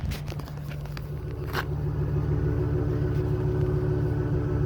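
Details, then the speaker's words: 2002 Lincoln Blackwood 5.4 V8, one owner, 73k miles, cold start, heard at the exhaust: deep even rumble at cold idle, steady low pulses, no ticking or misses; mellow, healthy exhaust note. "a nice mellow little sound to it"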